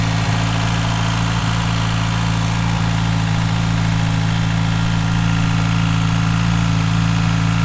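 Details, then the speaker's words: Rebuilt Mitsubishi Evo V 4G63 700+ hp spec engine, Kelford 272 cams, Link G4+ ECU, started with auxiliary belt off: smooth, even low idle, no ticks, knocks or belt squeal; quiet normal idle. "i'm just going to quickly start it up for you to hear it without the uh auxiliary belt on so you can hear how quiet is and uh really really happy with that"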